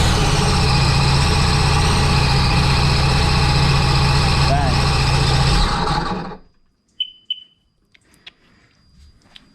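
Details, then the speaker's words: 2009 Sea-Doo GTX 215 jet ski with new coils, plugs and a temporary rebuilt test supercharger: runs with an even low rumble about six seconds, shuts down cleanly; supercharger found bad, now running normally. "So with that being said, we are now running."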